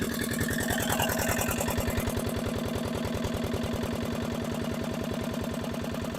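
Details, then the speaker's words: Barn-find dumper, single-cylinder diesel, first run after revival with no exhaust fitted: loud, open, fast beat about 150 a minute; very smoky and revs seem very high, rough running, cause unclear. "but uh that is still very smoky and the restroom seems to be very high as well"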